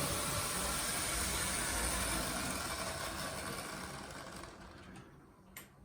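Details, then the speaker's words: Gutzold model locomotive bought on eBay, with its sound turned off so the motor can be heard: a steady, rapid whirr with an even ripple, running smoothly but louder than it should. "I've turned off the cab forward so we can fully appreciate the noise of this thing."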